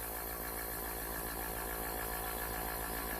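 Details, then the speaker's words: Small airbrush compressor, rated up to 40 PSI and awaiting a regulator for 3–5 PSI, running on the bench: quiet, steady motor hum with an even low buzz and no knocking or rattle. It is running smoothly. "again I'm doing this with the air compressor running can you hear it"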